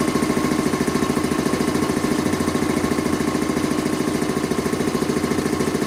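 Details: Quincy 325 air compressor test run after a cylinder head clean-up, valve rebuild and new unloader seals. Steady, even chugging at about 3.5 beats a second under load. Discharge valve appears to hold. Normal running.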